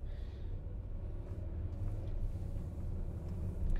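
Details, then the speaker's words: 2011 Volkswagen Jetta with flashing check engine light: idling in park with uneven, lumpy, stumbling rumble, vibration worse on acceleration and at cruising speed; engine misfire. "and it's shaking as it's kind of going through the gears there a little bit of [Music] vibration and it gets really bad when you step on the gas when you get up to more of a a cruising speed"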